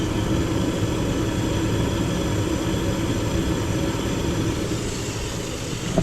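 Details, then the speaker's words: Gas furnace in a house that had no heat on a cold morning, running after the gas was turned on and the pilot lit; the blower runs first on a call for heat. Smooth, even roar of burner and blower, with no rattles, squeals or surging: normal operation. "if there's a call for heat as soon as the power comes back on it's going to run the blower for a minute before it tries"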